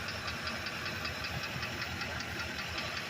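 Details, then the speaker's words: Ford Econoline E350 5.4 heard from underneath; irregular light knocking, roughly 78 a minute, over steady engine hum, barely present without throttle; engine knock under acceleration, cause not found. "por dura y buen amigo cuando está así sin acelerar el ruido no hay ruido o un poquito y otra vez granados [Música] piden todo aquí abajo se oye el ruido"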